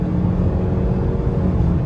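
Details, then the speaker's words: 2017 Honda Civic RS Turbo, about 100,000 on the odometer, road test in Drive after replacing worn-out spark plugs that caused misfire and knocking: steady even engine drone under acceleration, no knocks or stumbles; runs clean. "की performance भी आपने check कर ली है और गाड़ी के अंदर किसी किस्म की नॉकिंग वगैरह नहीं है"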